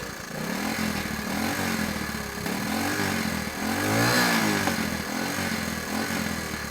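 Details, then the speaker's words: Honda ATC 110 barn-find three-wheeler after carburetor work, possibly still cold; single-cylinder idling and blipping with occasional stumbling sputter; owner unsure if remaining issue or just cold. "it seems okay but once in a while you'll hear it's kind of sputtering and I don't know if I've still got issues with it or if it's just still cold"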